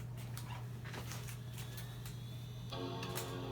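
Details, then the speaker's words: iMac G3 Snow with display issue, third attempt with old board refitted and new power supply installed: steady low hum, then a bright sustained startup chord near three seconds; normal startup chime. "Alright, now we have a chime."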